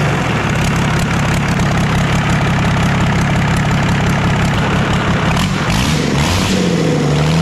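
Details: Old Dodge 12-valve Cummins diesel, just started with ether while smoke came from the starter: it runs loud and rough, with a deep growl and uneven chatter underneath. Owner calls it an unfavorable internal noise; the cause is unknown.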